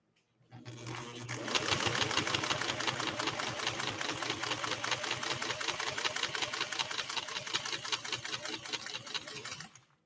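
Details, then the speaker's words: 1958 Singer 404 sewing machine with a universal needle and no roller or walking foot, pushing through a very thick stack: fast, even stitch clatter at constant pace without stalling or labouring, running healthy under heavy load. "All right, give a listen to this machine working. It's going to be working to try to get through this big time."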